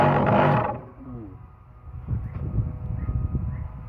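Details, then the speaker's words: Panasonic water pump after replacing the faulty capacitor (about 8 µF) that had stopped it spinning: now running with a rough, uneven low roar under a steady motor hum from a worn, loose bearing needing repair. "Sekarang yang bunyi kasar ni. >> Hmm. >> Ni dah bearing dah goncang."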